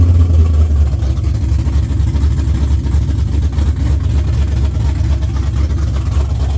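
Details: LS-swapped Chevy C10 started for the first time after sitting 3 years, newly wired with Holley Terminator X, fuel pressure set to about 45 psi. A deep, lumpy V8 rumble catches and settles into a steady idle with no knocks or ticks; starts and runs well.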